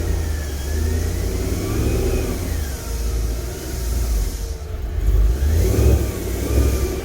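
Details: 2014 Mustang GT with a new clutch being broken in: revs rise and fall twice with a rough low rattle under the exhaust note, clutch chatter said to be normal.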